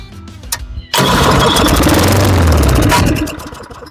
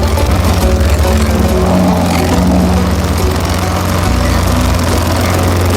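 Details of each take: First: Lawnboy 10761 mower with Tecumseh engine after service and reassembly, primed three times, pull start. Catches and roars about two seconds, then fades and quits; starts then dies, cause not yet found. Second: Lawnboy 10761 mower with Tecumseh single-cylinder engine, warm restart after carburetor cleaning, new spark plug and oil change: steady even low putter, no misses or knocks; runs normally, slight exhaust-side vacuum leak suspected.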